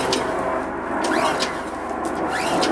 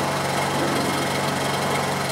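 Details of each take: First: Honda EU2200i inverter generator whose carburetor was fully drained after last use. Repeated recoil pulls, about one per second, with no firing; it took about 10 to 11 pulls to start: hard starting from dry carburetor. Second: Honda EU2200i inverter generator running after a hard start on a drained, dry carburetor (about 10 to 11 pulls). Steady, even buzzing drone with no misses or surging: normal running.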